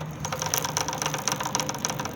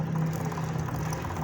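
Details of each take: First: Honda CG 125 with a new chain and sprocket set: quick, uneven metallic rattling ticks over a low engine idle, appearing a few days after fitting. Chain alignment and chain look fine; the sprocket knocks against the chain and needs replacing. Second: Honda CG 125 motorcycle after new chain sprocket set fitted, previous thak-thak chain sprocket noise fixed; low even hum with no rhythmic slapping or clacking: chain drive runs quietly.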